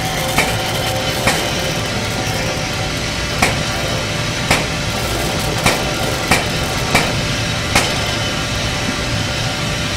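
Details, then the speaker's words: During a flush, an air-spray finishing diaphragm pump runs solvent through to the gun while air is introduced. Its sharp, even clacks speed up as the cycle rate rises, which is normal, though too much air risks the cycle rate running away. "You hear the pump cycle rate increase? That's because I'm introducing air and then solvent."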